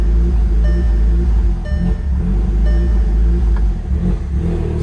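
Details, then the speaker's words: Car with internal control module checksum code that won't rev: deep uneven rumble stumbling as if running on only about two cylinders; no misfires recorded, injectors suspected more than spark, cause not confirmed. "so there sounds like we lost a couple cylinders if you can hear that let's go in here it is not recognizing any misfires but we definitely are only running on like two cylinders"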